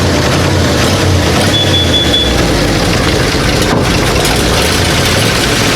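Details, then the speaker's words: 1937 Ford V8-60 flathead first running on a new 6V electric fuel pump, heavy smoke; rough ragged uneven beat, running on five or six cylinders, owner suspects flooding and a couple of fouled plugs, sometimes picks up to eight; misfire. "running and most of cylinders you got a flood an issue and then I think I filed a couple of plugs cause it would it'll load up be running on five or six then it would kind of get up to eight"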